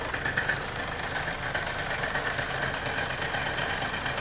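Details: Mercedes-Benz GLA petrol engine idling with a faint, uneven knock under the steady hum, believed to come from the flywheel; the car also has an oil leak at the rear crankshaft seal.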